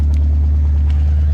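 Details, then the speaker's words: 1964 Ford Fairlane 500 V8 on its first start after sitting 10+ years, with freed-up stuck carbs. It gives a deep, uneven idle rumble with a little smoke, likely from long storage, and cuts off, possibly running out of gas. "all right it's got a little a little smoke coming out of it"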